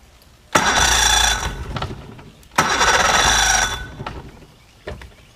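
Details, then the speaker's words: Mercury 50hp outboard on a 16' Bay Stealth boat. Two short bursts, each catching about a second then dying. Hard starting and stalling; cause not confirmed. "Alright, so we're up. Doesn't sound too bad. Oh, there it went. Let's try again. Give it some gas."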